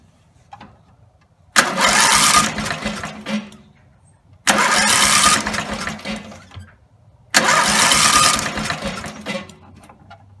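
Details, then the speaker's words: Rebuilt Briggs and Stratton 17HP engine (carb rebuilt, plugs, sump, slinger, valves, gaskets done) won't keep running: starts and roars only at full throttle, dies when throttle is turned down; owner suspects the throttle linkage lever position. "I can start it it'll start up if I put the throttle all the way up and just rev up really loud like the engines gonna blow and but if I turn it back down it doesn't"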